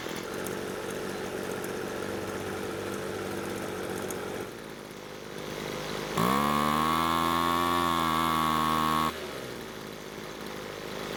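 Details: Two-stroke leaf blower that started but wouldn't stay running, idling on its newly fitted replacement carb during carb adjustment: buzzing idle whose revs drop then climb again, the engine slowing at idle, which is abnormal; idle later improved but not for long.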